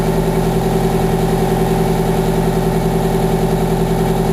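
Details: 1987 Wanderlodge PT40 rear-engine 8V92TA Detroit two-stroke diesel, after a cold start following about 5 months sitting, camera mic outside and overwhelmed: a deep, steady throbbing idle with an even rhythm and no misses or knocks; healthy idle.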